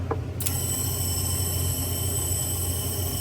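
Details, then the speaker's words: Honda S2000 with 140,000 miles on a cylinder leak-down test: steady high airy hiss with a faint whistle, air felt escaping from cylinder number three, suspected burned valve possibly from a very tight valve adjustment. "Actually feel a little bit of air coming out of there. That's number three."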